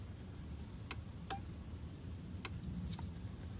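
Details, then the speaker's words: Mercedes Sprinter van fuse box relay energized by poking a small wire in to test the no-crank fault; sharp isolated clicks about a second apart as the relay pulls in, with voltage checked on pins 1, 3 and 5: relay clicking. "So a tiny little wire, we're going to poke in there and listen for that click. Okay, so it's pinned, it's clicked, and now we should have voltage on 1, oops, yep, 3, and 5."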